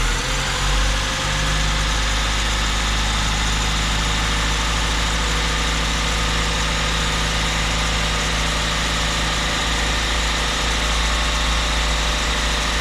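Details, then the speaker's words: 1987 Mazda B2200 2WD pickup, 5-speed, bought barely running, cold start on a frosty morning: steady low idle, slightly uneven at first, smoothing as it warms; rough cold idle. "I'm gonna have to look into that a little bit more but here it's it's warming up it's selling a little bit better"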